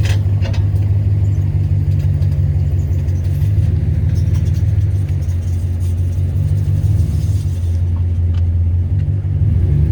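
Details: 2015 Dodge Ram 1500 bad front wheel bearing at about 10 mph forward, then reverse, wheels straight: heavy low drone, rumble and grinding; sounded awful at 30-55 mph and worsened over two months until replaced.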